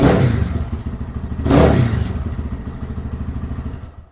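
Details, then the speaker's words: 2023 Lifan KPM200 motorcycle after returning throttle position sensor to correct position; sharp throttle blips rise cleanly and fall to a steady, higher thumping idle without stumbling or dying. "now it sounds like the idle speed is up higher it's quick crisp throttle and it doesn't want to die if I hit the throttle"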